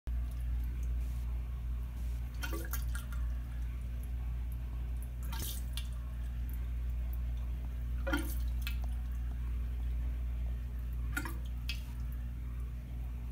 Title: Drain in restroom making strange gurgling and burbling sounds